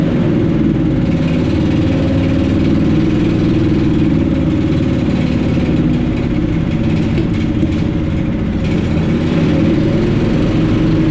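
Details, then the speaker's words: Honda-engine blower after its carburetor was removed and thoroughly cleaned: strong, steady drone holding speed without surging or popping; runs clean and even, showing the carburetor is cleaned out, normal running. "You hear that sound, then you know you got your carburetor cleaned out."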